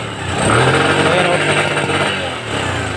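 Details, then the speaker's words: Bajaj CT 100 motorcycle engine revving unevenly with exhaust beat stumbling and dropping out, misfiring even with a known-good original CDI; stator/magneto suspected and being opened for inspection. "mga boss palyado nga siya try natin buksan yung kanyang stator"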